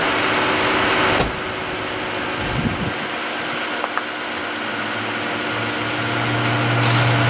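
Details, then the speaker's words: 2013-type Chrysler 3.6 Pentastar V6 after replacing the worn roller rockers and a collapsed lifter: a smooth, even idle with no ticking. The tick is gone, no codes are set, and it idles quieter. "so it is doable it's a pain but it didn't blow up not throwing any codes quieter idling's good"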